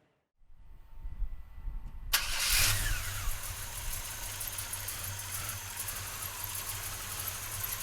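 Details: 1968 Chevrolet C10 pickup, frame-off restored, about 100 miles on build, 383ci V8 stroker, Edelbrock intake, Demon carb, high-torque starter, Flowmaster dual exhaust: short crank, catches with loud burst, settles to steady even burble; normal start and idle.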